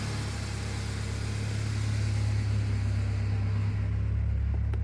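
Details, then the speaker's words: 1996 Ford Ranger 2.3 just after fuel pump replacement, not yet warm: even low idle rumble with steady beat, no ticking, misses or odd noises; smooth normal idle. "it sounds pretty smooth I don't hear any weird stuff going on awesome"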